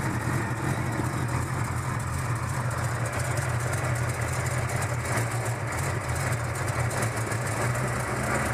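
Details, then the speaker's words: 1971 Chevrolet El Camino 5.0L V8 idling cold on electric choke, smoking a little on startup only: deep, steady V8 burble with a slight lope; normal cold idle that smooths out once warmed up. "Smooths out a little more when it gets warmed up. Smokes a little bit. Just on startup though, and once it's warmed up, it's fine."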